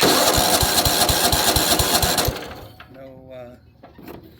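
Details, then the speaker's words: Weed Eater riding mower, Tecumseh OHV130 engine: starter turns it over in even strokes, about four a second, without catching. No spark; a missing ground or a bad coil are suspected. "so for whatever reason it appears that maybe we have a no spark and you usually happens for a couple different reasons"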